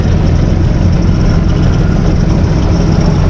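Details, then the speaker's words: 1955 Plymouth Plaza 2-door wagon parked since 1980, freed from lock-up, muffler cut off: steady, even low rumble of the straight engine idling with no knocks or misses, good oil pressure; healthy idle. "Sitting there idling. Beautiful. Listen to that, no exhaust. The muffler's just cut right here."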